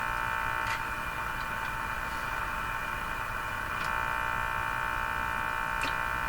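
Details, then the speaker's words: General Electric KL60 tube radio after alignment, sensitivity check tuning the spread band from the high end: steady buzzing hiss with fixed tones and no station received; interference noise, source not pinned down. "There's that noise, doggone it."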